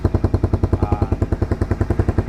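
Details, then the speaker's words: 2010 Honda CBR150R first gen (Thailand CBU) idling: loud, sharp exhaust pops from a muffler rusted through, so exhaust leaks. Covering the hole changes the sound; a patch repair is planned. "ini kenampotnya kropos di bagian sini nanti kita perbaikin ya kita tambal ya paling enggak Kalau setelah ditambal itu suaranya enggak berisik coba kita Nyalakan ini kan Suaranya berisik seperti ini"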